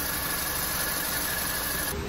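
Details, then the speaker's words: Petrol car after cylinder head repair for an overheating-cracked head, with new spark plugs and coils fitted. Engine idles steadily with an even, smooth beat and no knocking or misfire: normal idle. "şu anda aracımız çalışıyor çalışması da gayet güzel"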